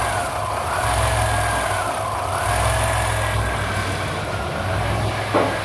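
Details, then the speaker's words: 1995 Chevy Astro 4.3L, previously a no-start with a new fuel pump and no fuel pressure: with the computer circuit restored, it holds a steady, smooth idle on its own with no stumbling. "that is idling on its own"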